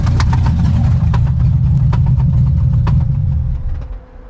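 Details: C6 Corvette Z06 V8 with about 15,000 miles and built heads and cam, running after back-road pulls: sharp irregular clacks about four per second over the rumble. Owner suspects knock, misfire or exhaust leak; unconfirmed.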